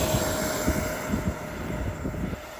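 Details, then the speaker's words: FlyFans Baltic B L39 64mm EDF jet after replacing its power system (thrust about 900 instead of 500–600): steady, high, even fan whine fading as it climbs away, no surging or rattle; healthy thrust. "Ooh, it goes in the air. Well, it does fly. Put enough power into it."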